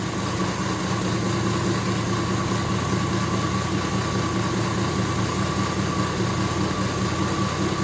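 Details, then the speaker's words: 1983 Jeep Scrambler barn find, sat 4–5 years, running on a gas-can IV feed: steady even idle with a smooth low rumble, no misses or knocks; sounds good but keeps running out of gas, so the can needs raising. "now sounds pretty good she keeps running out gas think my holes is I think I got to take my ID back up higher"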